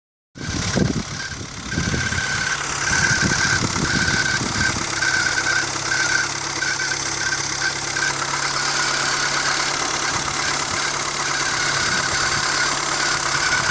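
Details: 1999 Renault Twingo 1.2 D7F engine at cold idle: a thin high whine/squeak at steady pitch, pulsing faintly over the engine hum; cause unknown, occurs when cold.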